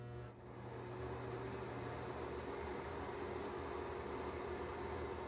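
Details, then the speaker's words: NuTone bathroom exhaust fan after cleaning and reassembly: soft even whir with a low steady hum, no rattle or scraping; much quieter than the loud hum before, cleaning may be all it needed, normal running. "pretty quiet yeah way way better way quieter than it was all right maybe cleaning is all really needed"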